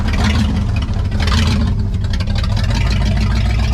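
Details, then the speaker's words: 1963 Chevy Impala wagon V8, parked about 20-30 years, at idle: loud, deep, uneven loping idle; cylinder check finds cylinders not firing; misfire. "Let's find out what cylinders aren't hitting at idle. All right, that one's not hitting. That one is hitting."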